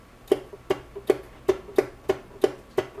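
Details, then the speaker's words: 1994 Club Car DS gas golf cart: sharp ringing clicks two or three per second, solenoid clicking but no crank; cause is a failed starter generator (possibly worn brushes or armature flat spot). "you can hear that the solenoid is clicking, but it's not doing anything."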